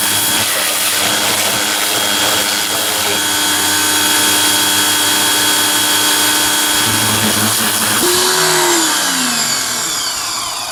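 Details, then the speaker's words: Greenworks 2100 PSI electric pressure washer on first use with the turbo nozzle, giving a steady quiet motor hum with smooth pump whine and water hiss; it runs healthy, and the motor shuts off when not spraying. "And I like how the motor shuts off when you're not using it. And it's much quieter than a gas engine."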